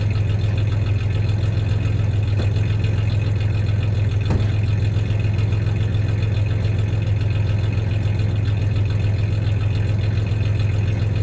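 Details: 1993 Ford Ranger 3.0 V6 idling then a little rev; low steady idle with faint uneven pulse and occasional stumble, mild misfire at idle; any clanking is loose tie-downs in the bed, not the misfire.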